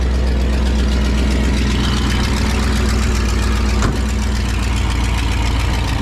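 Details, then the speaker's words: 1967 Pontiac Tempest station wagon on a makeshift fuel tank with an electric pump, carburetor idle just adjusted; loud raw deep rumble and harsh open bark at steady idle because the exhaust is essentially non-existent. "exhaust is pretty much non-existent"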